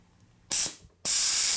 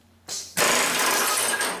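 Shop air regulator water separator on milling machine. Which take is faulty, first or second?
first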